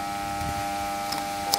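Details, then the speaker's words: Shop air compressor motor won't get up to speed even when helped by hand: constant electrical hum with no run-up because its start capacitor is totally burst; the fix is replacing the capacitor. "Por más que lo ayude No no va a agarrar no agarrar la vuelta y lo que estamos viendo obviamente se habrán dado cuenta No es el capacitor está totalmente reventado"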